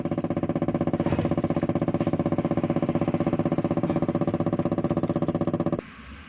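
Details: Car with a CNG conversion, started on petrol after bypassing a faulty gas/petrol converter switch with the fuel pump powered: steady, even idle with a regular firing pulse and no misses before shutoff. The engine runs normally.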